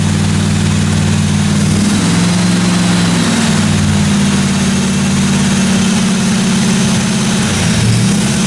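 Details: 1957 Chevy 210 project car running at a steady fast idle during its first-run camshaft break-in of about 20 minutes: smooth, even low rumble with no top-end ticking or tapping; valve train sounded good, normal running.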